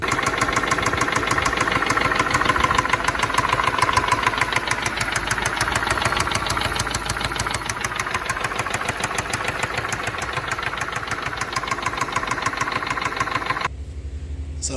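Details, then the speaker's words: BMW N63 V8 at idle: steady, sharp knock about three times a second; suggested common fix is replacing the camshaft solenoids on both sides, cause unconfirmed. "just going to show you guys how uh to fix a uh is a knocking sound kind of like coming from this a BMW engine"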